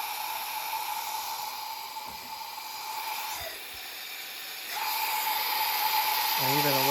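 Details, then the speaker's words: Promaxx cylinder head, engine turned by hand, test springs fitted, cylinder pressurized with shop air: steady loud hiss through the intake port from an intake valve that isn't sealing; 3–4 other cylinders leak too, head going to machine shop. "coming out of the intake. That should not be happening. And I went down the line. I did 3 or 4 of the other ones, and they all do the same thing."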